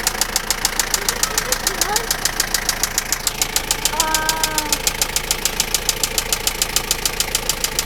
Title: knocking noise of toyota lucida engine